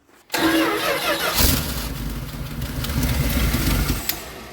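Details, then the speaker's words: 1973 Dodge D200 with a 360 and 727 automatic, sitting for 8 years: cranks, catches and runs rough, stumbling when throttle is added, because the carburettor bowls have no fuel yet and it runs lean. "it doesn't have any fuel in the bowl so when you give it throttle it's just uh it's leaning it out you know what i mean"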